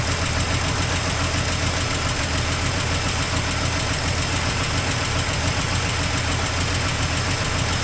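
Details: 1984 Toyota Land Cruiser FJ60 first run in many years: loud, uneven idle with ragged ticking puffs through a constant roar that never settles, with an exhaust leak noted. Rough, cause unconfirmed.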